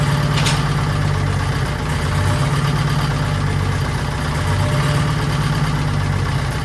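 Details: 1940s Allis Chalmers D5/HD5 crawler, two-stroke Detroit 271 diesel after long storage, normal idle: steady low even throb, no knocks or misses; sounds good but smokes, owner suspects injector, plans replacing it.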